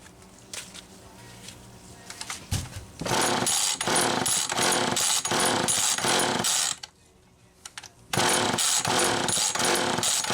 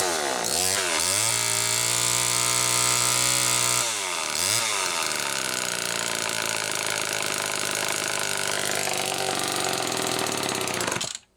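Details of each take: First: Homelite XL-2 two-stroke chainsaw after clutch and carburetor work, owner notes a leaking crank seal: revs up and bogs evenly into the wood, pauses, then cuts cleanly again; running properly under load. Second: Homelite XL-2 chainsaw after clutch and carburetor work: screams at high revs, surging and dipping instead of settling, running lean. Owner says a crankshaft seal is leaking air.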